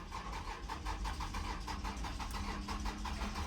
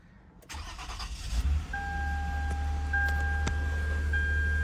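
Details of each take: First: 2009 Toyota Venza cranks but won't start: starter spins the engine at an even rhythm, about six beats a second, but it never catches; battery somewhat low, cause not yet confirmed. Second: 2009 Toyota Venza that cranked but would not start, after the repair: brief crank, then catches cleanly and settles into a smooth, steady idle with no stumble; normal start.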